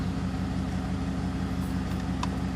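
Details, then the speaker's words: 2014 Ford F-150 Platinum after replacing the blower motor and control module (resistor), listened at the vents: soft, steady low hum with an even pulse and no rattle, squeal or scrape; blower speed drops correctly at the lowest setting. "Lower it down, and the speed lowers the way it should."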